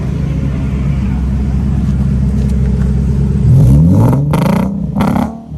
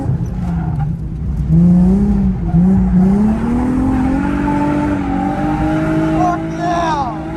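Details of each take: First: Nissan Z V6 recorded at the exhaust: rough, uneven idle, then two quick choppy revs from a misfire. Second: Car at drift event, reportedly running well on first run after battery reset, earlier exhaust leak noted: engine pulls cleanly, pitch climbing smoothly without stumbles or knocks, tyres squealing at end; normal running under load.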